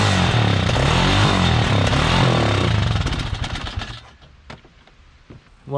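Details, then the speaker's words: Kawasaki Mojave 250 that sat two years, full tank of old fuel, float possibly stuck: steady chuffing cranking about four beats a second that never fires and fades; fuel starvation, starting fluid didn't clear it, carburetor to be rebuilt. "sometimes you can get lucky you can run stuff on starting fluid for a little and then the carburetor will clear up but we didn't get lucky this time"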